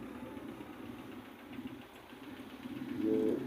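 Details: United loader rickshaw engine at idle: loose, uneven light tapping about three per second over low idle, suggesting valve tappets need adjusting. Cause suspected, not confirmed.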